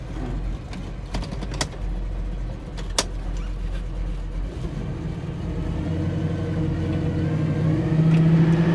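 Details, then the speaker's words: 1970 Chevrolet Nova, temp gauge and fuel sender not working: even engine drone climbing smoothly in pitch as the car pulls away, no knocks or misfires; runs fantastic and idles nicely. "And the car runs fantastic, and it's idling very nicely."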